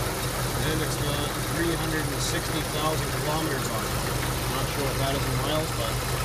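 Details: 1993 Jeep YJ 2.5L 4-cylinder, oil pressure over 30 psi: an even idle with a faint, mild lifter-type tick over the engine hum and nothing heavy underneath; the owner suspects worn lifters, unconfirmed.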